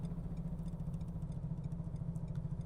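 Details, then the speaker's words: Car on a motorway: rapid, even thumping at about ten beats a second that keeps time with the wheel sets in under the running noise; a rear tyre has blown flat. "Arabadan ses geliyor lan. Şöyle sola geçiyorum. Oo, arabadan ses geliyor. Arkadaşlar bir şey oldu. Muhtemelen lastik patladı."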